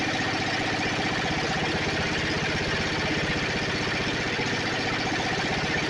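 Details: Snapper 28" riding mower, 12.5 hp Briggs & Stratton single-cylinder, hard-starting: after grounding coil with a screwdriver at the kill ground wire location, engine chugs at steady idle, about four beats a second, firing evenly with no misfire or knock.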